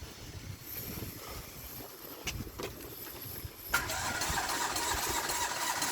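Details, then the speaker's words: Renault Clio engine, after abuse testing with dish-soap oil and bolts dropped in, plugs found loose: quiet clicks, then a steady rapid starter churn of about four turns a second that never catches; cranks but will not start, cause unconfirmed. "I'm thinking I'm going to pull the plugs again. I'm going to crank it over until flatten the battery."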